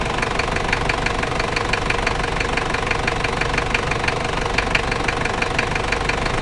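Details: Toyota 1KZ-T diesel, described as a new engine with a noise: sharp, fairly regular knocks around three per second over a rough idle. Engine knocking at idle, origin unknown.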